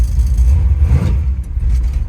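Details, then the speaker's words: Small-block Chevy S-10 street truck with Holley carburetor, in gear idling at 850–900 rpm: on throttle tip-in it sags and nearly dies, then catches and comes back rich, with no black smoke; off-idle stumble. "hear that there's an immediate dead spot as soon as you touch the accelerator [Music] it dies and then comes back really quick but when it comes back it's rich"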